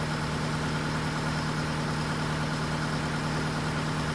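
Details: Case TR310B skid steer diesel at its 100-hour service, started after oil filter change (superseded part) to check for leaks; even low rumble holding steady idle, no misses, knocks or speed hunting: normal idle.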